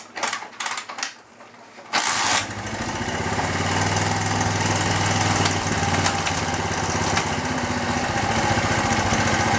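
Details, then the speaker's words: Dirt bike just reassembled: starts easily and settles into a fast, steady putter that never drops back down, idling too high. Cause suspected, not confirmed. "but now it's idling all kind of high"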